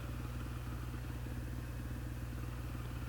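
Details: 2008 Honda CRF450R carbureted single converted to a motard, cold engine: a steady low thump settling into an even idle with no misses or knocks. Air/fuel reads about 13.5–13.7 at idle.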